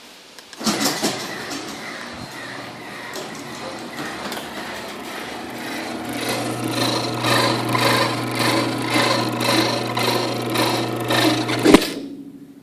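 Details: Chamberlain Whisper Drive garage door opener running: steady motor hum with a high, pulsing squeal that grows louder before stopping.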